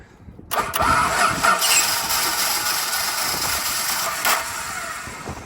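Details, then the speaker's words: Ute with Chrysler 215 Hemi six, three-on-the-tree: starter whirs, engine catches briefly with uneven firing then fades as key released; owner suspects ballast resistor, plans to run power straight to the coil. "Probably just going to run power straight to the coil. Because it does this weird crank and start non-running."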